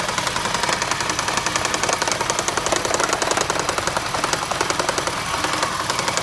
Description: UPDATE: Got some advice that this may be caused by an ignition misfire. That was correct. It turned out to be a bad igniter/coil on cylinder #1.